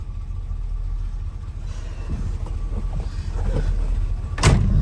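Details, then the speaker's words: 1957 Plymouth Fury at idle, gauge reading 190, oil pressure 50: deep, even burble holds steady with no knocks or misses, then a door thump near the end; engine healthy. "It's got great oil pressure. This car starts up and runs great."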